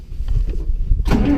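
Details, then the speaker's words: John Deere Model A tractor, diesel-smelling fuel, in cold weather: low rumbling crank catches after about a second, then a rough steady run settles; starts and keeps running. "come on come on let's try it again there we go well success it is finally running"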